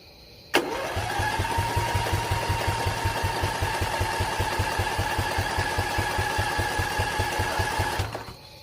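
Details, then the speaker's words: Single-cylinder Briggs & Stratton Intek on an old mud mower tractor: starter whirs with even compression chugs for seven seconds, no firing. Choke removed, hand-choked, carb needs replacing; no spark suspected, then fuel line found dry, stuck needle suspected. "It almost seems like there's no spark."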